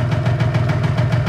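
Steady two-stroke putter at idle with even, quick pulses and no misses or knocks; engine idling smoothly and healthy.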